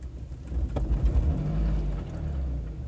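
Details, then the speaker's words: Vehicle whose radiator, front calipers and ignition coil were replaced by the owner's relatives: low, uneven idle that hesitates, sags and nearly stalls; mechanic hears coolant sloshing and suspects the cooling system wasn't bled; cause unconfirmed. "I could just hear the coil into sloshing around inside of their cars hesitating look at that Idol it just wants to turn off"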